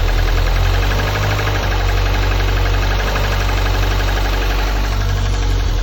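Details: Lotus Elise S2 111S engine at steady idle: a hollow howl with rapid, uneven knocking about three per second underneath. The owner questions whether it is a failure; the fault is worth tracing.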